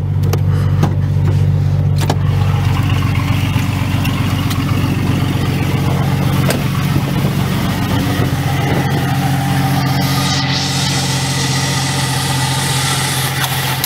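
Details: 1995 Jeep Cherokee petrol engine at steady idle, hood open, with a faint constant whirring hum over the rumble, also faintly heard under the dashboard; a mechanic suspects bad alternator bearings, not confirmed; alternator replacement planned.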